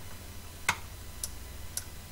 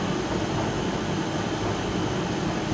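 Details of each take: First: Hoover Candy tumble dryer not heating: old relay clicks three times, softly and sharply over low mains hum, quieter than normal; coil energises but no continuity across contacts, whose tips have carbonised. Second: Hoover/Candy tumble dryer after circuit board repair; motor starts and heater kicks in, with even whooshing airflow and constant motor hum, no rubbing or ticking, running normally.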